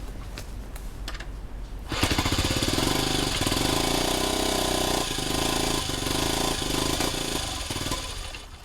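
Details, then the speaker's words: 1971 Honda CT90 after rebuild and exhaust valve clearance reset: the small single pops along unevenly at a fast, hunting, lumpy beat and only stays running on choke; owner suspects an air leak at the old air boot. "And basically, I'm going to get the bike running and then sort of spray the air boot and see if we get a surge or what because basically it only wants to run on choke."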